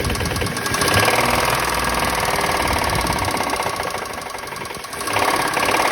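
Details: Toyota Mark II engine: steady rapid knocking, about four per second, over a running idle, staying even throughout. Engine knock, source not pinned down.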